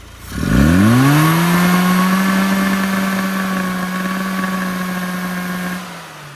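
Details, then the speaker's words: Sprite engine with throttle opened: revs climb then hang flat with an uneven, stumbling beat and won't rev out. The misfire is from a way-too-lean mixture; plugs and timing were to be checked. "Clearly, we got a misfire. We got way, way too lean."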